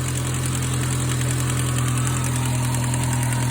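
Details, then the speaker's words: 2006 Ford Focus ZX4 after idler pulley replacement: smooth, steady idle with no chirp, squeal or rattle; the earlier noise is gone. "I don't hear that noise anymore so awesome"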